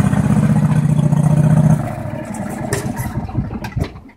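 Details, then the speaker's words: Craftsman truck transaxle: loud engine drone with uneven shudder pulsing three to four beats a second, fading as load drops; occurs mainly past third gear, owner suspects chipped third gear or synchro/shifter fork between gears, sometimes clears itself. "It mainly seems to only do it anywhere past third. So maybe third gear could be chipped. Or I'm thinking it's the synchro between the between the gears."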